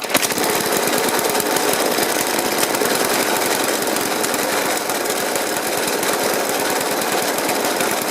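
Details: About 1991 Suffolk Punch 30S petrol mower, carb cleaned and decoked: the engine idles roughly with rapid, uneven banging instead of the smooth tick-over of others the same age.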